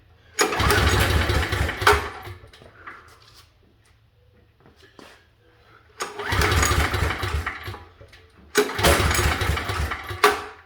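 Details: Pull-start generator not run since last winter: three pull-start bursts, each a quick chugging rattle that fades out without catching. It turns over but never fires; the owner suspects a forgotten detail.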